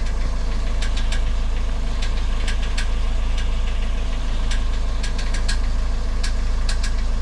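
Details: Sharp, uneven metallic taps at steady idle after a variator (CVT) replacement, 200,000 km engine that burns no oil, no knock while driving; owner suspects something light hitting the flywheel teeth, not yet confirmed.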